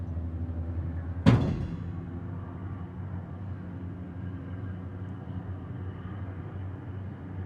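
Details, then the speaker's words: Diamond C MDT mid-size dump trailer bed lowering after dumping dirt; one sharp clunk then only a low even rumble, nice and quiet, no whine or roughness; normal lowering. "Nice and quiet coming down. It's like the silent killer."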